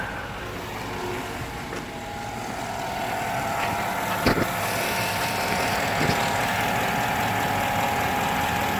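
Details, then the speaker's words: 2007 Chevy Avalanche 5.3L Vortec V8 with AFM, 124k miles, warm at normal operating temperature in 30-degree weather, at idle: a light tick about four times a second that seems to come from the right side; the cold-start knock diminishes when warm, and the cause is unconfirmed. "definitely does diminish it sounds like it's coming more from the right side of the motor"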